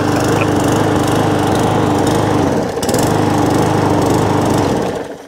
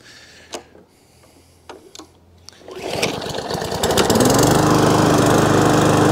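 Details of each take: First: Small lawnmower engine that runs but hunts and surges, its note sagging and picking back up instead of holding steady, with plenty of fuel in the tank; cause not yet confirmed. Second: Briggs & Stratton overhead-valve E-series mower engine that was surging, after the fix was tried before buying a new carburettor: a few pulls, then it catches and settles to an even, steady speed with no hunting or surging, running properly.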